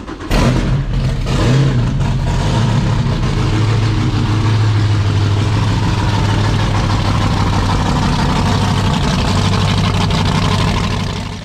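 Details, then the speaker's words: Fountain 42 offshore powerboat, starboard 9-litre V8 run up on fresh water flush: lumpy uneven rumble with irregular stumbles; misfire and popping suspected in starboard-side valve gear, possibly a valve spring or pushrod. Engine misfire. "I I knew we had um a slight misfire on this engine in when I was cranking it um cuz I could hear um I could just tell when you crank it over I know when it doesn't sound right"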